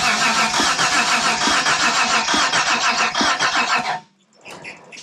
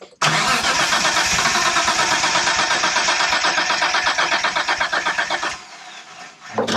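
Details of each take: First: 1992 Dodge Stealth R/T twin turbo, cranked on a borrowed battery with no fuel: fast even starter churn about three and a half beats a second, no catching, then stops; engine turns over freely, normal cranking. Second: 1992 Dodge Stealth R/T twin turbo cranking with no fuel (fuel pump relay off), on a borrowed battery. The starter turns without firing, with a steady beat about four a second and a hard knocky edge that quiets after about 5 seconds. A stuck lifter is suspected, not confirmed.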